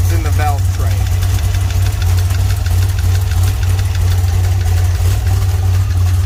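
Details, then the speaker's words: Cold start on a 1981 DeLorean: deep steady idle hum with a light, uneven tick underneath, seemingly from one side of the engine; valve train ticking suspected, source not confirmed. "me show you what I mean by the a little bit of ticking sound in the engine"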